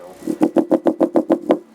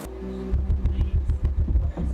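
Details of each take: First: Alpine Type S 10 D2 car subwoofer, repaired, wired to 1 ohm, free air, driven by NVX XAD11 amplifier at about 32–101 watts: about seven sharp popping pulses a second with crackly edge over the low note; popping distortion. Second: Alpine Type S subwoofer, repaired, free air (no box), on NVX XAD11 amplifier around 200 W, 3.5-4 ohm: deep clean full bass, no rattle, buzz or flapping cone; normal subwoofer playback.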